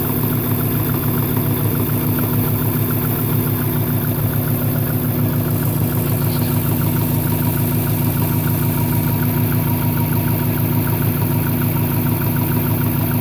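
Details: 1998 Subaru Impreza 2.5RS at idle: sharp even tapping about three per second over the engine note, a clear internal knock; owner unsure if rod knock or piston slap.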